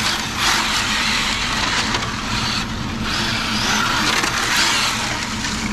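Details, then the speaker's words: Arrma Infraction RC car on cheap GRP GT TO1 Revo wheels: high-pitched motor scream with harsh rasping scrape during a drift as the low-slung body drags on the ground. "You can hear the body there. Did you hear the body on that drift? The body on that drift is why I don't like these."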